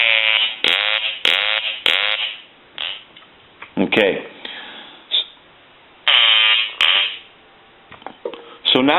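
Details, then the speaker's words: Hand-painted wooden duck novelty telephone, quack ringer previously silent, rung after repair; loud buzzy quacks in short repeated bursts with gaps, ringer sounding properly on each ring. "where he didn't have the quacking sound and so what we're going to do here is we're going to ring the duck"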